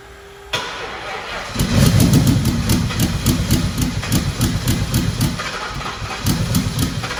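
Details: 2004 (or 2003) Ford Mustang Mach 1, possibly built with an MMR engine and twin turbos, full fuel system and 4R70 transmission: it starts to an uneven, stumbling idle with irregular exhaust pulses. This is a misfire of unknown cause, and the engine was later pulled.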